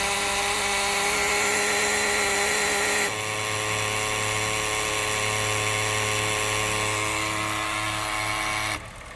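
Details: Honda Fit at idle with a loud, harsh mechanical whirring buzz; the car is weak and misfiring. The noise comes from the electronic throttle body's internal gears, not the engine; codes show an ETCS fault and forced RPM limit.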